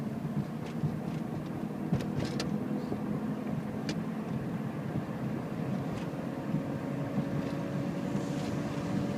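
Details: 2006 Toyota Prius (2nd gen), about 180K miles: petrol engine runs rough from about 30 seconds after it starts after sitting, steady low drone with uneven beat and occasional light knocking taps; owner hopes valve adjustment fixes it, unconfirmed.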